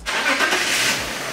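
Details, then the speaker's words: 2003 BMW E39 530i with an MS43 DME, tested for an intermittent crank no start: after confirming constant power at the DME terminal with a test light, the engine catches quickly and runs evenly with no stumble or misfire. "So the car runs fine."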